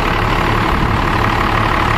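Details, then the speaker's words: Dodge Ram 12-valve Cummins diesel, cold start on an ultracapacitor pack (7s 2.5V/2600F) wired in parallel with the starting battery: steady, low diesel rumble with no knocks, misses or surging; normal idle. "and then obviously the sounds like it's running just fine"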